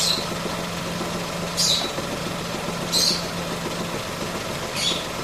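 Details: 2017 Ford Ka engine at idle with a strange noise; short hissing chirp repeating about every 1.5 seconds over a steady hum, source unclear.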